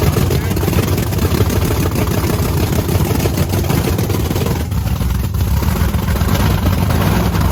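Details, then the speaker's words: Supercharged methanol-fuelled Camaro race car with fresh plugs, loud, lumpy, uneven idle with a rough stumbling beat; two rear cylinders with bigger nozzles run rich per heat gun; clogged injector nozzles suspected as the cause of the misfire. "yeah it's probably just super fat I mean we should probably check those nozzles yeah it's got the bigger nozzles in the back it doesn't sound right though definitely does not sound right"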